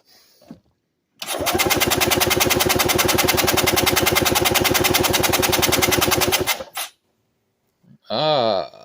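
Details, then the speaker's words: Compression test, cranking with throttle wide open: even, fast cranking pulses around three a second with no firing; gauge reads only 50 psi against 90-120 expected, low compression. "That's not what I wanted to see. That's 50 psi. Let's try this again."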